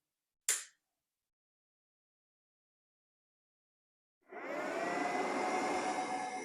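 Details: PICC Starfire plasma arc hob heating a pan with a pint of water, which boiled in 2.5 minutes. A single click, then a steady crackling hiss with a faint even mid-pitched hum: normal running.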